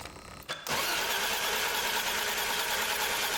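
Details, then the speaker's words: Barn-find BMW E34 that had been running badly and bogging down: with the fuel line to the injectors removed into a water bottle, a steady starter churn with no catch or firing and no fuel pump hum behind it; no fuel is delivered while cranking. "let's get a water bottle and try and put this into the water bottle and see if it sprays fueling there's no fuel it should be priming right now"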